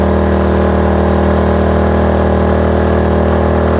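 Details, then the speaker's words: Kraft&Dele KD681 3000 W inverter generator with 2 kW heater load applied: sound changes as engine revs rise, then hold steady with a firm low hum; normal running under load. "що давай тепер спробуємо дати йому 2 кВт навантаження о звук уже змінився двигуна піднялись оберти"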